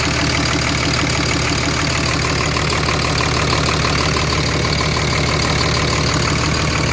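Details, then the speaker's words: Diesel hotshot truck idling after a built valvetrain and head stud install, no leaks found: steady, even diesel clatter with a constant low rumble, no misses or knocks; running good. "I don't see any. All right, she's running good, and I'm glad it's over."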